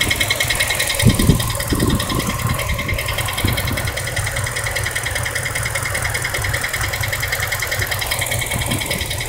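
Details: 2003 Dodge Durango with a used replacement engine idles with a fast, light ticking over it. The cause was low transmission fluid; topping up the fluid cured it.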